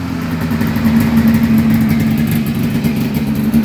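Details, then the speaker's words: 1996 Polaris XCR 440 Special converted to EFI, XCR pipe; after the fuel pump primes, it fires right up on a small pull with a crisp, even two-stroke buzz and a clean ringing exhaust, and the throttle is very snappy: normal running. "Oh. fires right up. Throttle is super duper snappy. This XCR pipe on a 500 twin sounds beautiful."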